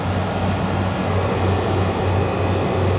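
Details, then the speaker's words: Refrigeration compressor after condenser coil replacement, pumping the unit down with the king valve closed as suction pressure drops: a deep, even rumble with a steady drone and no knocks or squeals, normal running. "I'm pumping the unit down right now to suck all the gas that's left in this tank out you'll see the suction and pressure will be dropping and we'll suck what's left out of the recovery tank"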